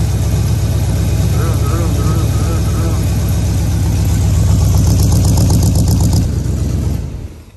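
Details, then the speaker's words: Chevy 350 V8 in a Mule warming up before new plugs and wires, with a loud idle and an uneven, chuffing beat of about four pulses a second before shutting off; suspected misfire. "Y'all can hear it. Everybody wants to tell me what a misfire it's got."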